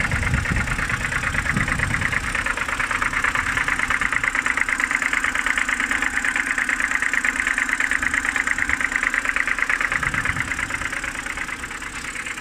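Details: BMW N52B25 started cold in the morning: a light, fairly regular tapping at about 77 a minute over a steady idle. The owner thinks it comes from the oil filter housing side; the cause is unconfirmed.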